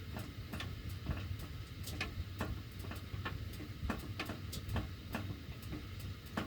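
Irregular sharp ticks, roughly two a second, over a low steady furnace hum; ductwork clicking while heating runs, cause unclear.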